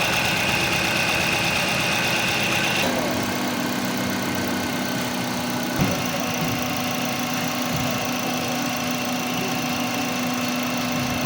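Engine idling with an uneven, loping beat, roughly three or four stumbles a second, pointing to a misfire at idle. Cause suspected, not confirmed.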